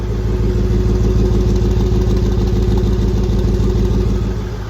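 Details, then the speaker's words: Range Rover Sport SVR at first start after rear main oil seal replacement, exhaust refitted, no leaks yet at the bell housing. Steady, even burble at idle with no misses, knocks or ticks; normal running. "Yep, that's it running. Just SVR noises."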